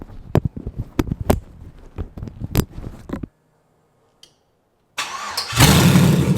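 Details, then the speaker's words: LS-swapped 1988 Monte Carlo after frame and engine mounts, cold air intake, throttle cable and transmission line work; was out of gas and needing a new battery: cranks, fires straight away into a strong steady rev, crisp healthy V8. "Actually, I can give you guys a quick little fire up of this thing so you can hear what she sounded like."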